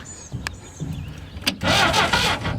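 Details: Barn-find Willys Jeep 4-cylinder, year unknown, run on a 12 V battery, points filed: short burst of steady cranking, spins over but never catches; cranking no-start.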